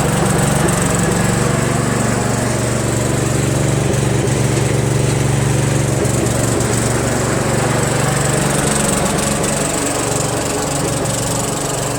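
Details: Second Troy-Bilt lawn tractor with Briggs Intek engine, original carburetor: fairly steady drone with rough, uneven pulse and slight hunting; the mixture screw does little, so the carburetor is to be swapped for a Walbro.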